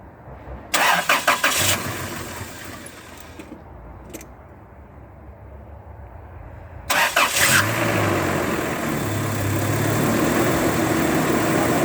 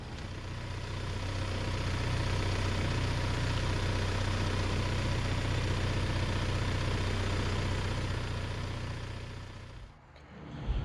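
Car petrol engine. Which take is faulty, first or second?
first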